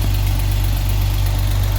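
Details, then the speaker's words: 1979 Opel Monza Series 1 barn-find six, previously lumpy, now idling smooth on all six cylinders, slightly high idle, about 3 bar oil pressure; an exhaust leak is present and tappets are not yet set. "Sounds good. We're running on 6, definitely."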